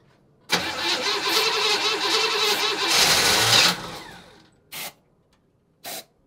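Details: 1965 Chevy Impala after 20 years sitting: with brake cleaner sprayed in, engine catches roughly, revs unevenly about three seconds, then dies; runs only on the spray, later smoky exhaust smelling of gas.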